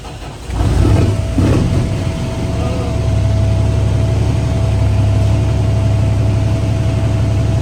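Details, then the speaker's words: Truck diesel engine just after an in-frame overhaul, first start; it catches quickly and settles into a steady, deep, even idle with no knock or misfire and runs well, though a bad injector was later found. "So we're done with the Inframe. Crank up. Ran good. Sounded good."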